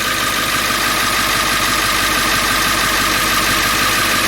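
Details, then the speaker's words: Ford E350 7.3L diesel van after a crank-no-start caused by a shorted fuel bowl heater repeatedly blowing ECM fuse 8: steady, even diesel clatter at idle with no misses or knocks; runs normally. "alright so now let's start it one more time and see go right there it runs"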